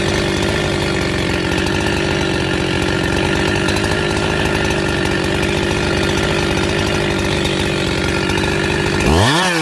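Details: Husqvarna 372XP chainsaw after rebuild: strong, even high-revving buzz that holds steady under cut, then rises cleanly at the end; healthy saw running smoothly.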